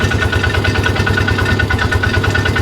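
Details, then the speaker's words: Polaris Ranger days after engine rebuild, with a reported major issue: steady, even idle thump with a regular beat and no knocks or ticks; sounds normal, oil circulating. "I don't know. Doesn't sound bad. I hear the seat bouncing"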